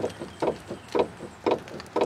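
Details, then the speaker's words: 2006 Nissan Altima 2.5L with the wheel off, rocked side to side: dull clunks about twice a second. The worn outer tie rod end is loose and its boot is destroyed, likely letting dirt in; it is to be replaced. "top's not moving bottom this this this outer tie rod end is wasted so we're gonna we're gonna replace it"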